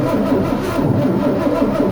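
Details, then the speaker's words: El Camino not run for 23 years, in neutral, cranked to move fuel: starter churns in an even rhythm, about three turns a second, without catching; cranks but will not fire, possible clog suspected, not confirmed. "okay all right Brandon I need you to crank on our guy I want to see if we can move some fuel"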